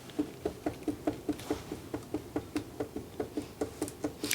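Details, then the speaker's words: Bicycle lifted up and down by the seat post without leaving the floor: sharp hollow knocking about twice a second with movement felt at the lower rear shock mount, a sure sign of worn rear shock eyelet bush. "And if you put your finger and your thumb against the bottom and lift the bike up and down and hear the knocking, you'll feel the movement between your finger and your thumb. And that is a sure sign that you've got shock eyelet bush wear."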